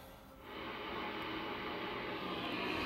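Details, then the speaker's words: Drake R4B receiver during noise blanker troubleshooting: constant harsh hiss and crackle, owner blames neighbors' interference; noise blanker seems not to work at all; receiver interference noise. "so i got some nasty noise in this thing as usual thanks to my neighbors and you can hear it like this"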